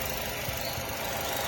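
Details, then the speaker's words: Nissan Y12 after repair of a cylinder 4 wire (spliced, heat-shrunk, taped): quiet even idle with no stumble over background noise; scope confirms cylinder 4 firing, no misfire, fixed. "And as again the vehicle is on, no misfire, we could scope number 4, and you see firing line, seeing everything."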